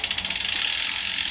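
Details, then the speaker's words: Planet X E130 used carbon bike in a stand, low miles: rapid freewheel ticking with quick, clean shift clatter, no grinding or skipping; gear changes very crisp all the way through. "so we are on the very crisp changing this bike has not got many miles on it"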